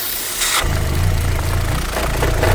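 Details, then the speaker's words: 2006 Vauxhall Vectra C with Z18XER engine: a lumpy idle with revs dropping, hesitation and a sucking hiss near the rocker cover. The PCV valve in the rocker cover is suspected and is being replaced. "Okay. You can probably hear the uh noise which appears coming from around here. I think it's the PCV valve."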